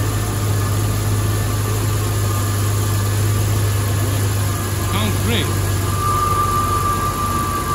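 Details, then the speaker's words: 1994 Jeep Wrangler YJ after ECU repair, cooling system topped up with water: steady even idle with a smooth low hum and a faint whine, which the owner believes comes from the alternator; runs well. "there's a little whining i believe it's from the alternator but we're gonna take care of everything i think she runs pretty good"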